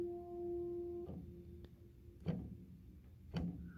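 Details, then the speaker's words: 1979 Baldwin spinet piano: a note cuts off, then dull wooden clunks about once a second as keys are released. The action has loose screws and worn, rattling holes, and the lifter-wire rubber grommets are worn. "And this action hasn't been pulled out for a long time, so when you let up on the key it goes clunk, clunk."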